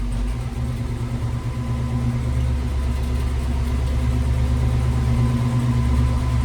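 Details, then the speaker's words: 1979 Little Red Express truck with new engine, after first test drive, idling back in: deep steady V8 idle with a faint rapid puffing tick on the exhaust note from a newly discovered exhaust leak at the head. "Yeah, that exhaust leak sucks, but"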